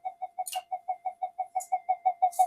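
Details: Old Minelab GP Extreme metal detector, modified with GPX power connector and regulator for 8.4 V lithium battery; mid-pitched tone pulsing about six times a second, unstable flyback pulses; suspected PLL or power supply fault.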